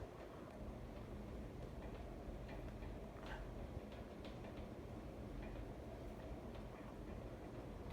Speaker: t's wobbling. So, um yeah, it is secure though. The guy that um helped me install it made sure that was secure, it's just it's bouncing back. The medallion's making that extra sound, which is the other reason why I don't use it on high all that much.